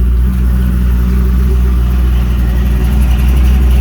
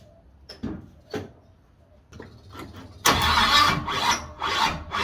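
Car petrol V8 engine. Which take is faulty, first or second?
second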